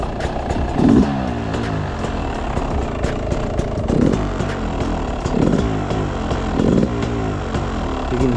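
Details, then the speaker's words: Beta 300 two-stroke with Smart Carb SC2, cold start at about 5°C, not yet warmed up: uneven crackling idle, each throttle blip hesitates and hangs before picking up revs; off-idle bog from lean mixture. "it's like got a bog but what I want to do the way I'm going to do it is I'm going to get it up to running temperature before I really worry about it"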